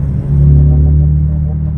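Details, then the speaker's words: Mazda heard inside the cabin cruising gently in 4th at about 40 km/h: deep, steady low boom filling the cabin; the exhaust resonates and drones. "ça résonne un peu trop là dans la bagnole c'est un truc de dingue même si tu mets la 4e tranquille tu roules à 40 c'est toujours un espèce de"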